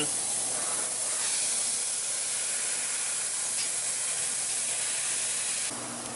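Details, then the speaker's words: DIY air compressor built from a mini fridge compressor and 11-gallon tank, running on mains power after removal: steady airy hiss with faint even hum, no knocks or rattles; running smoothly. "running and very well might i add"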